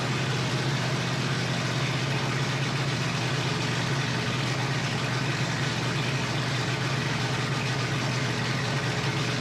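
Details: Flathead Ford 8BA V8 from an F1 pickup, 12V conversion, new points, condenser and coils, unrebuilt carburetor bowl just primed, first start: a steady, even low rumble with no knocks or misses, normal running.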